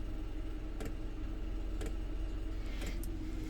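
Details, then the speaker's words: Maxpeedingrods 2 kW 12V diesel air heater in a camper van, about 10 minutes on low setting, outlet high 60s to low 70s; steady low fan roar with a soft sharp fuel pump tick about once a second; normal fuel pump ticking. "Okay, so it's been about 10 minutes of it just ticking down on low."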